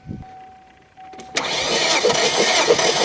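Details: 2001 Kia Sportage during compression test, cranking with plugs out: steady cranking at about three beats per second with even, unbroken rhythm; compression consistent across cylinders, one reading higher, attributed to oil on valves.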